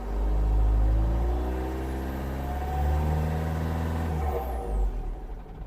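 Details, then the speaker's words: 2015 Vauxhall Vivaro 1.6 CDTi diesel, cold, no fault codes: revs rise steadily from idle, then the engine cuts out abruptly at about 2,500 rpm (about 3,000 rpm when warm), regardless of speed or whether stationary or driving. "Yep, it cut out straight away at 2,500. Apparently, is around 3,000 when it's warmed up."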